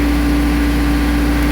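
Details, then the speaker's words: Small diesel mower that used to shut off when PTO was engaged, after installing time-delay relay, glow-plug wait done: steady idle with constant low hum and even tone, no knocks or hunting, now keeps running. "gauge blade up that's a good sign it used to die before here we go oh yeah there it is it's working nice nice"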